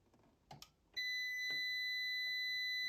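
A few probe clicks, then a steady high-pitched meter beep for about two seconds: a short across the resistor.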